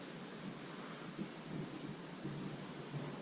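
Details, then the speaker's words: Slab leak found with an ST-2000 SubTech leak detector: the system is pressurized with water (air compressor available to amplify sound), and a constant rushing hiss is heard through the ground from water escaping a pressurized pipe under the slab; air conditioning hum in background. "Yeah, can you hear the water moving right through? Slide over 3 feet, and let's see how loud it is."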